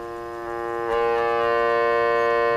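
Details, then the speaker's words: Vintage electrodynamic loudspeaker: the voice coil placed near the humbucking coil, which is in series with the voice coil and matched to the output transformer, induces hum. A steady buzzy hum jumps up in level about a second in, then holds. "I place it near the humbucking coil again what you matches itself to the output transformer in series with the voice coil here you start to induce hum"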